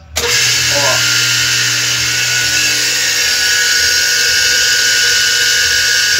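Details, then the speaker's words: Single-phase motor on a contactor reversing starter, rated 16 A at 220 V or 32 A at 110 V. It spins up with a harsh, gritty, constant high-pitched hiss. Current reads normal, but the motor bearing is bad and worn. "Vou mostrar para você a corrente que tá normal. O rolamento que tá ruim. Vou ligar o motor e vou mostrar a corrente para você."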